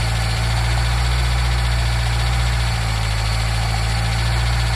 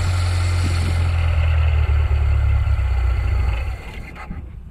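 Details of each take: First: Nissan Micra K10 after the carburetor auto choke was repaired, cold start run up to temperature: steady, even low idle with a deep constant drone and no misses or knocks. It warms cleanly on choke, which later opens. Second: Nissan Micra K10 with a carburetor and a faulty automatic choke, cold: starts reluctantly with the choke flap open but fires straight away when the flap is closed by hand. The low idle holds, then sags and dies once the choke is released and opens.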